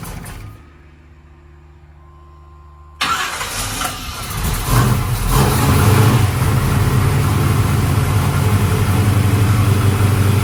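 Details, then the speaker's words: Project 55 vehicle with suspected lumpy cam: cranks and fires after about three seconds, then lumpy, loping idle pulsing about four times a second; suspected insufficient ignition timing rather than carburetor. "if it has a lumpy cam in it like you say it does it probably doesn't have enough timing in it to idle right"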